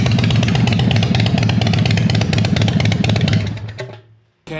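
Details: Freshly home-built Harley V-twin, just after first fire: very loud, lumpy firing pulses through open loud pipes at steady idle, dipping briefly before catching again; engine runs fine.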